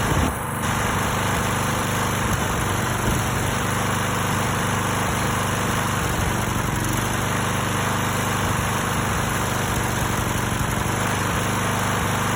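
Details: Stiga Pro 48 mower with Briggs & Stratton single-cylinder engine, new tank, air filter and spark plug, carburettor cleaned and rebuilt: runs steadily but stumbles unevenly as firing drops out now and then; misfire, cause unknown.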